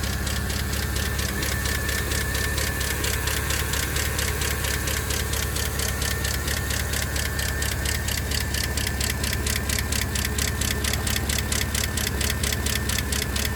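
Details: 2012 Chevrolet Camaro SS L99 V8 at idle; fast crisp even ticking about two per second over smooth idle, valvetrain-type, cause unknown; engine ticking at idle.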